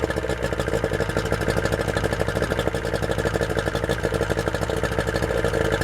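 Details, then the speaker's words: Yamaha outboard running on a water supply, warmed up. Quick, even burbling pulses with a steady rhythm and no skips or surges; "just purrs", normal idle. "oh man it just purrs that Idol runs really well"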